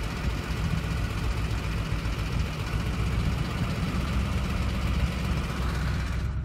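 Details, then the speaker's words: 2004 Ford F-150 5.4L 3-valve V8 under light throttle: deep rumble with a fast, busy rattle from cam phaser oscillation and knock, heard most around 900–1,200 rpm, with VCT duty cycle about 40%; it stops when the throttle is released. "I let off it turn off a noise goes away again and these turn on around 900 rpms or so you hear this most around 900 to 1,200 rpms"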